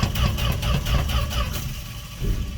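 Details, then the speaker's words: 1968 Fargo/Dodge D100, no choke, sat 24 hours on a cold snowy night: slow labouring starter churn about four beats a second, fading; owner suspects cold-weakened battery. "oh [Music] come on oh i don't think that battery has enough for us i left the booster pack out overnight so the cold obviously killed it"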